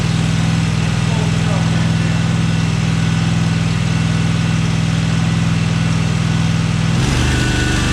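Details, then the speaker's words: Cub Cadet 1864 lawn tractor (possibly 1994), 671 hours. It won't run at full throttle; a low lumpy idle holds only on full choke with throttle down, then stumbles away. A clogged carburetor is suspected. "So that's a dead ringer for a fuel issue. Because I suspect the carb's probably clogged."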